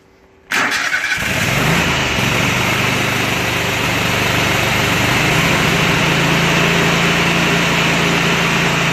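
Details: Kohler Command 25 hp CV730 V-twin on Husqvarna riding mower, after carburetor cleaning, coil replacement and mouse-damaged wiring repair: starts at once, steady even idle, no surging or missing; running properly.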